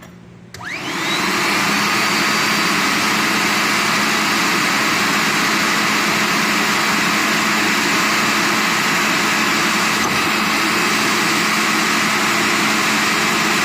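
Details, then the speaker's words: Viper AS710R rider floor scrubber after replacing the vacuum motor, which had burned out (owner unsure whether from ingesting water or overheating): new motor spins up with a rising whine, then a steady even rush and hiss, no grinding; works normally. "success so the other model was burned up"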